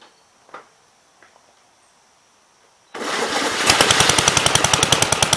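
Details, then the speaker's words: 1951 Gravely Model L, Wico magneto, missing fuel bowl, head gasket leaking, running on gas poured into air-filter base; quiet then fast sharp popping about 3.5 per second; backfire while warming up. "he backfired there i don't know if you guys saw that"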